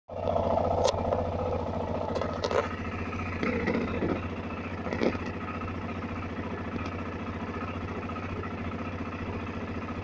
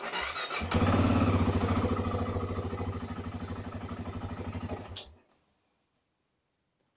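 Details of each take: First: BMW F650CS motorcycle, first start after throttle body cleaning, cold: fast steady putter at raised idle about 2000 rpm while warming, no misfire; normal cold fast idle. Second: BMW F650CS motorcycle on its first start of the year after throttle body cleaning: it fires and runs with a lumpy, pulsing beat for about four seconds, then fades and dies; rough running, then stall.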